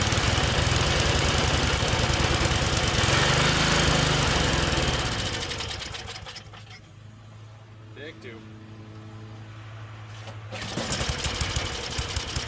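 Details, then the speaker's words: Tecumseh snowblower engine after a carb clean, with the governor linkage reconnected: it screams at a fast, high, unsteady rev even at the lowest setting, then sags; over-revving, the governor linkage is suspected to be hooked into the wrong carb hole. "try it again well definitely a Reb's High that's really the lowest it goes from that Governor's spring maybe"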